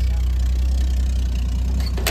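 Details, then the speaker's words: 1973 Chevrolet K-10 with worn 250 inline six, carbureted, just driven home: rough deep idle with sharp lean exhaust pops; exhaust possibly blown off by the pops. "Yeah, she's lean popping pretty good."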